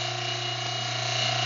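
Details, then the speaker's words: Fuel transfer pump on a Racor primary filter setup, drawing from the fuel tank with air let into the tank top; steady low electric hum at even pitch, pump loads up and pulls fuel without stutter or surging: normal fuel transfer pump running. "So I'll put it to this fuel tank here. Now, got a little air into the top of that tank. You can hear that pump load up."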